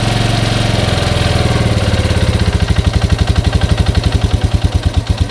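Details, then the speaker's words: Yamaha Grizzly 125 ATV (chain drive), revived after sitting over six months, running on car oil and possibly low on oil: small revs then a steady, even quick putter with no knocks or misfires; runs well, engine healthy. "well guys thing runs pretty good may have low oil a couple little issues but it runs great"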